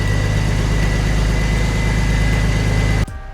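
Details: Manual BA Mk2 Ford Falcon XR6 Turbo idling after its first start following an oil and filter service: a steady, even low hum with no knocks or ticks for three seconds before it cuts off. The idle is normal and quiet.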